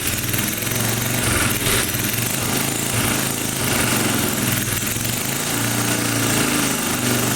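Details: 1980 power tiller (rotovator) with Briggs and Stratton engine, running after spark was restored; carburetor cleaning may not be needed. Even, steady single-cylinder putter at constant speed with no clacking or missed beats; normal running.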